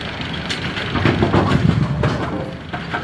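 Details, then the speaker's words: AMF A2 bowling pinsetter with an empty deck: continuous clatter and chain rumble as the machine runs straight through without stopping at 180° to wait for pins. A broken X pin in the cycle linkage had backed out; the 180 release link is stuck. "machine doesn't stop to wait for pins here. Let's shut the noise off."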